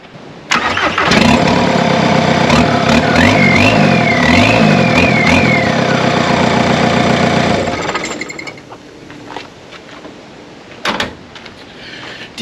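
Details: Barn-find Volkswagen Caddy pickup with a swapped-in TDI diesel, first start with a temporary short exhaust tip: the engine catches and settles into a steady diesel clatter while a clear turbo whistle climbs and falls with revs. Healthy start with the turbo spooling.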